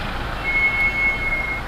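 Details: Mahindra XUV700 AX7L, 2.2L mHawk diesel automatic, recorded on dashcam, steady high-pitched squeal for about a second when coming to a full stop, started after front pads replaced at 20,000 km service; cause not confirmed.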